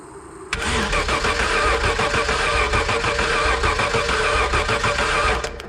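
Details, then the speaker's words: 1991 Ford Scorpio with 2.9 V6 Cologne engine, long standing. Steady starter cranking at about three beats a second that never catches; strong spark confirmed at the distributor, so a fuel or injector fault is suspected. "othing I'm guessing we have no spark so let me go through all the connections here through the coil connections here and everything and we'll try again"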